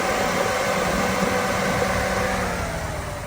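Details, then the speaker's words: 2001 Chevrolet Tahoe electric fan conversion, no tune, engine at operating temperature with AC on: both fans kick on high, loud steady rush of air with no rubbing or wobble; normal cooling fan operation. "So it's a big difference. Whenever they're on high, it gets pretty loud."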